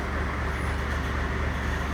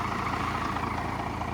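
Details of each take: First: First Gen Cummins diesel idling after the fuel was turned up: deep, steady clatter with an even beat and no hunting, sounding about stock on fuel now; normal idle. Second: First-gen Cummins diesel truck, started after the block heater was plugged in overnight and the battery charged: a slow, lazy idle with an even chug and no misses. It idles too low from insufficient fuel; a new fuel screw is to be turned up.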